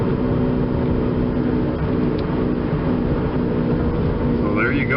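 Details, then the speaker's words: 2004 Chevrolet Impala coasting: steady low growl and hum from a failing driver-side wheel bearing, more pronounced off the accelerator and changing tone with steering; fixed by replacing the wheel bearing hub. "again this has a driver side wheel bearing going out let's see if you can hear it again here that girl then let off the accelerator probably is a little bit more pronounced"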